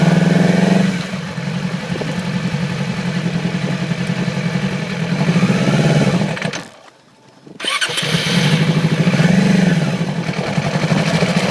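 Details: 2008 Yamaha R6 idling unevenly and revving with a stumbling beat, low power at low rpm and sluggish at high rpm and freeway speeds; cylinder misfire from a faulty ignition coil, fixed by replacing it.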